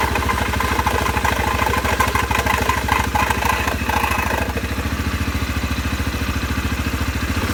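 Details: CFMoto 500 2A after water exposure, variator: engine runs with a rough rhythmic thrum and clattery edge that eases after a few seconds; strange CVT noise, cause suspected, not confirmed.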